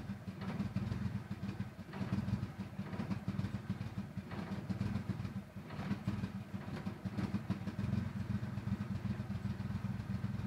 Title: 95 talon tsi rough idle